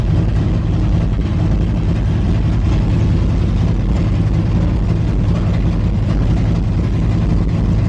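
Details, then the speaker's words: Engine just refitted with cleaned, slightly rich spark plugs, warming up to temperature so the ECU can learn: steady, even low rumble with no knocks or misses; normal warm-up idle. "and then we will let it get up to temperature and let it learn a little bit."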